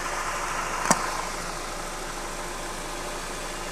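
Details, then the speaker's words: Porsche engine at idle after replacing a worn dual-mass flywheel (same engine/gearbox part as Audi Q5) that caused a clattering rattle; now a steady, even idle with no rattle, only one brief click near the start. "现在的话这个异响的话是没有了"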